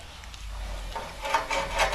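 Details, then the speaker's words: 2004–2009 Toyota 4Runner after front CV axle replacement: light metallic scraping swishes recur with each slow hand turn of the wheel; bent brake dust shield rubbing the rotor, fixed by prying the shield back. "so what you need to do here is you need to put these shields back so get yourself a pry bar try that now because later on you're going to have to go back add it just push these this Shield back and no more noise there you go"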